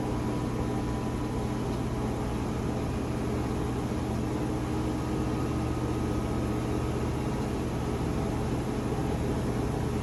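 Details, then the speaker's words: Whirlpool washer with E1/F9 drain errors: drain pump gives a steady low hum with a rough, gritty undertone after filter cleaning; some fabric still in the pump, which works for now but may eventually be damaged. "well it looks like it fixed it even though there's still uh some fabric left in that motor motor the pump motor sounds like it's going to work around it eventually it'll tear the pump motor up but for right now it's working so"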